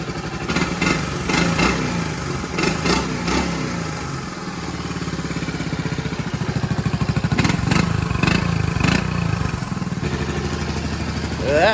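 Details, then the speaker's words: Restored 1984 Honda ATC110 three-wheeler, first start after restoration with cleaned tank: single cylinder idles with even steady beat and a few throttle blips, slight smoke from burning off paint, no valve tick or knocking; normal idle. "It's smoking a little bit, but I think it's just mainly burning all the paint and crap that was inside it. It's getting all this oil and everything through the motor. First time in a long time. What's that? No valve check. No knocking."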